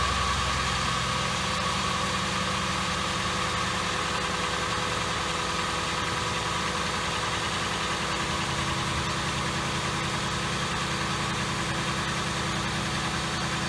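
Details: 2007 Ford Crown Victoria after spark plug misfire fix, at startup with white smoke that cleared when warm: even, steady idle with smooth rhythm, no misfire stumble or knock; running cleanly.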